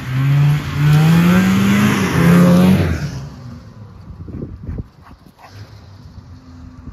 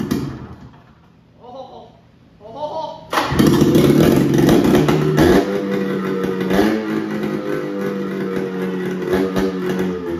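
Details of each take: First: Polaris Cobra 440 two-stroke snowmobile revived; a crisp buzz climbs through several hard revs, then drops to a quiet idle, smoking a little but running well. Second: 1978 Polaris Cobra 440 two-stroke snowmobile engine, first start after fresh gas and priming down the intake: silent cranking, catches at three seconds, raspy uneven idle; owner says it's running lean, not confirmed; rough running.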